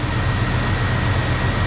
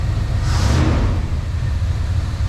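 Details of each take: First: 1994 Chevy Silverado 1500 engine with a rebuilt throttle body, on first start after 10+ years sitting: low, slightly uneven loping idle with a faint steady hiss, a rough idle from vacuum leaks still to be fixed. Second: 1994 Chevy Silverado 1500 Z71 V8, just started after sitting 10+ years, rebuilt throttle body, vacuum leaks still present: deep, even V8 note swells with a quick throttle blip and settles back, no tapping or knock; healthy.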